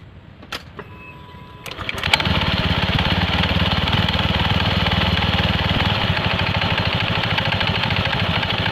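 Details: Honda Scoopy scooter at idle with steady rapid clunking, about three knocks a second, from the CVT; after the CVT cover came off the rust on the pin was noted, and the knock was judged likely to come from the front pulley side.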